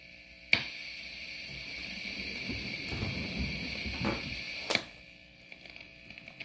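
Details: Line 6 HX One pedal: steady high-pitched hiss with a few sharp clicks; pedal noise, cause unknown.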